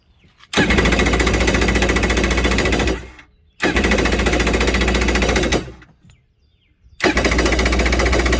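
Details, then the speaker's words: Jet ski X2 (hull about 1986), first start of the season after fixing a missed battery wire. Three bursts of high electric whirring with no engine turning over: the starter bendix is not coming out to engage the flywheel. "all right you all hear that right there so that's a starter Bendix not coming out and hitting that flywheel"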